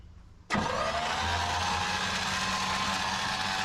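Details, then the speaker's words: 1955 Chevy with 283 small block, parked 37 years in a field, cranking after a starter change: steady even churn with no firing pops or catch; crank, no start from suspected ignition issue, later fixed with new cap, rotor and points. "It doesn't sound like it's firing. We probably got some ignition issues."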